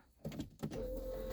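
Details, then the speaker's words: Peugeot 205 TD with forged engine, fully cold start after 1200 km break-in: a couple of clicks, then steady electric hum of the fuel pump priming during glow plug preheat, normal. "Donc là je préchauffe, on entend la pompe, hein, ça c'est normal."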